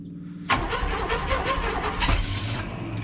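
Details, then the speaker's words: 1980 or 1981 Chevy truck, sitting about 29 years, possible sticking valve or loose rocker, being cranked: labored, uneven starter cranking under three seconds with a rough grinding edge, engine not catching; worn starter motor. "ooh she trying boy that starter sounding worse and worse"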